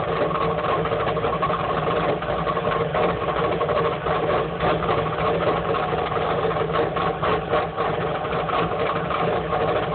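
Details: 1994 Chevrolet Camaro 3.4L V6, catalytic converter removed, idling at about 1000 rpm and running rich with sooted injectors: uneven, loping idle with choppy exhaust pulse; cause not pinned down.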